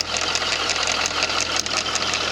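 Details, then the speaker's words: 2001 C5 Corvette, LS1, revived after sitting for years, idling: a high-pitched hiss and whir over the idle from a worn idler pulley bearing. A possible misfire was also suspected. "It's not that it's coming from one of the iders down there. Took the AC belt off. Sounds much better, but it's still got an idler pulley sinking over on this side."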